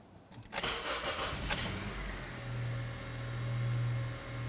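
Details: Engine after a repair for lean codes P0171/P0174 (injector O-rings replaced, code cleared, no check engine light): brief crank, then it catches cleanly and settles into a smooth, steady low idle with no stumble or hunting.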